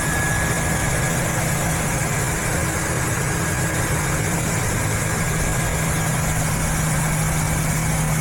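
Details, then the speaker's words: Ford engine idling after repairing a torn breather hose that caused a vacuum leak, codes cleared: steady, even idle with smooth low hum and no hiss or hunting; fuel trims swung richer; normal idle, no vacuum leak. "Don't hear any vacuum leak. So the fuel trims kind of went the other way now into the more rich."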